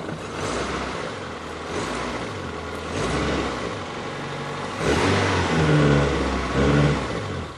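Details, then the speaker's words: ZAZ Slavuta fuel-injected engine after cleaning a dirty throttle body to cure idle fluctuation: revs climb briskly on each blip and drop back smoothly to a steady idle, no hunting; normal throttle response. "Động cơ vận hành trơn tru. Bây giờ bạn cần nhìn chằm chằm một chút và kiểm tra phản ứng ga"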